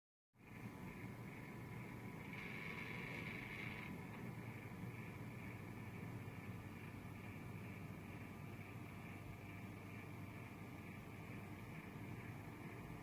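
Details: INOQ IA-C12 circulator fan: steady airy rush with a thin high whistle on top, briefly louder early on; abnormal fan noise.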